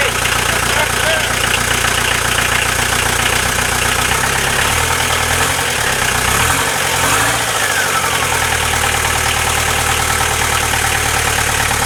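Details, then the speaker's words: VW Transporter T4 diesel, newly fitted engine first start after about 20 minutes of cranking and a fuel stop solenoid fix, no exhaust fitted: loud even clatter with open-exhaust rasp, steady idle without misses; runs healthy. "There we are. She runs and lives and sounds healthy as fuck, doesn't she?"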